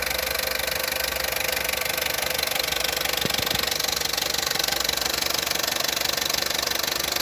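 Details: Opel Corsa D 1.2 Z12XEP, hot idle: fine, fast metallic rattle about 200 a minute over a quiet engine; occurs only when fully warm, nearly silent cold; stretched timing chain.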